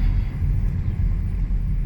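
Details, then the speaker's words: 2006 Ford 500 3.0 L after a tune-up with fuel filter, air filter and spark plugs, which fixed the rough idle and shaking at 45–50 mph: steady, even drone under road rumble while test driving, no misfire or sputter. "So I call that a success. Car runs nice and smooth, no rough idle. Engine sounds great, sounds pretty smooth."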